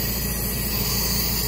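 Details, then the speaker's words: 6.0L Power Stroke (2005-2007) high pressure oil pump on a bench air test: steady unbroken hiss of air escaping with no pressure holding; leak not heard when air-tested on the vehicle, but bench test shows this pump is no good. "that is easy to determine this pump is no good"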